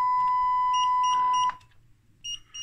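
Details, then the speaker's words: Schlumberger Stabilock 4040 radio test set (c.1994, 6802 CPU), defective power supply with a shorted capacitor and leaked capacitors; at power-up a long steady high beep, then short patterned chirps; a self-check failure. "so that's definitely a self-check problem so there's a lot more to go through here"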